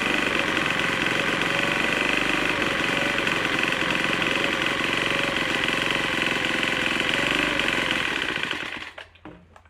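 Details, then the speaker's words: Troy-Bilt TB4HB EC leaf blower, unstarted 4–5 years, full choke, primed: loud ragged buzzing, uneven beat never settling. Air breather cap loaded with oil via crankcase overflow tube, from compression leaking past the piston rings pressurizing the crankcase. "After we got this started, it was running really rough. I took the air breather cap off the back and it is loaded with oil. And how that gets there is through the crankcase overflow tube."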